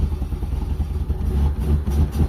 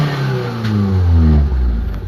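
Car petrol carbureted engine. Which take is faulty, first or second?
first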